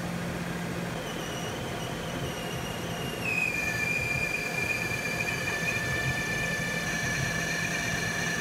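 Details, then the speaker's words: Mazda RX-8 during coolant flush, cool engine idling with cap open while trapped air bleeds out; steady high squeal over even idle, jumping in pitch partway; owner suspects water pump, source unconfirmed. "don't know what that sound is. Sounds like it's coming from the water pump."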